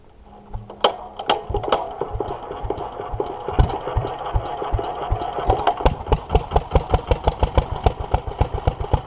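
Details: 1947 Petter A2 stationary engine after Zenith 24T2 carburettor ultrasonic clean and new fuel pipes: catches after a few slow puffs, then settles into crisp even firing about five beats a second; starts and runs cleanly, though a leak remains.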